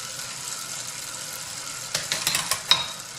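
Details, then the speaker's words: Bicycle chain that looks lubricated but is dry and worn, pedaled: steady raspy hiss then sharp clicks on shifting; sapping at least 5 watts. "So just listen to this chain. It runs noisily."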